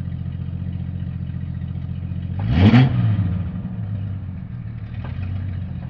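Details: Jeep Cherokee XJ 4.0 High Output: a low idle hum with a faint irregular clatter that swells briefly on a quick rev, then settles. The noise source was found to be the torque converter.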